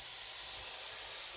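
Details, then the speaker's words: Benjamin CO2 pistol after rebuild: a steady, sharp, non-pulsing hiss right after charging as all the CO2 escapes. The seal isn't holding. "That didn't do it. Hear it? See? All that CO2 came right out of it."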